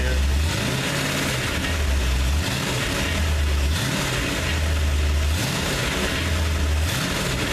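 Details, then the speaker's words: Rebuilt Ford 302 V8 after oil change, fresh clean oil: even idle with a few gentle swells in pitch, no rattling, knocking or smoking; healthy engine running smoothly. "beautiful come out good no rattling no knocking no smoking everything's doing good"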